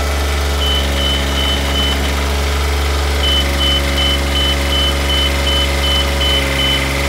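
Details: Duralift Jibbi 1250 boom lift driving on tracks: steady diesel idle underneath, high beep repeating in short even pulses while machine moves; normal travel alarm.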